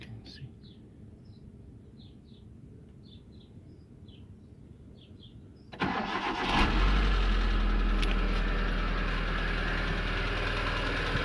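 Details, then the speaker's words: Hyundai Getz first start after engine rebuild with engineered cylinder head, no coolant yet: catches at once and settles to an even idle with a light regular tick, firing on all cylinders. "She's ticking very nicely. She's firing on all cylinders."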